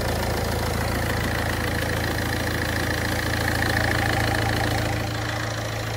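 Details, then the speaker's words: Ford Fiesta 1.4 TDCi diesel after heavy maintenance: steady, even idle with light clatter, no misses, hunting or stumbling; the earlier brief delayed start is fixed and it runs fine. "O da düzeldi. Gayet güzel oldu. Benim hoşuma gitti."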